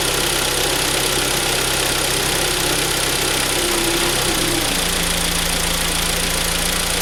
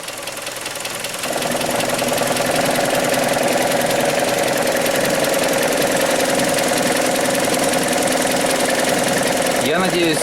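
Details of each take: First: Hyundai ix35 2.0 G4KD after timing chain replacement, which had come back with a new knock when the gearbox was put in Drive; after the repair, idling in Drive: even idle dips slightly and settles, with no knock. Normal idle in Drive. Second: Hyundai ix35 2.0 G4KD, warm engine, timing chain previously replaced: on shifting the automatic into Drive, a loud, fairly regular knock about 3.5 per second rises over idle; source undetermined, piston group or something left unfastened suspected.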